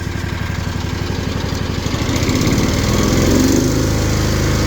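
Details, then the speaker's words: Kawasaki FR730V mower engine, newly rebuilt, lost power after getting wet; lumpy uneven thumping that won't rev past about 1,450 rpm at wide open instead of 3,600: engine will not rev. "She's supposed to rev up to 3600. I don't mow quite that much. I usually stop around 3,200. I can't get it to rev up."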